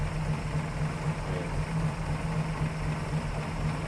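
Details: 1933 Hudson Terraplane six, all original: steady low even idle with a soft regular pulse about four per second, no knocks or misses; normal idle.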